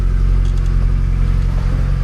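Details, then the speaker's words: Mazda Miata after overheating with boiling coolant and a battery-light problem, restarted on a recharged battery after repair: smooth, even low engine hum with no squeal or slap. Engine sounds healthy. "Yes, that sounds a lot better. And it's Everything is looking working good."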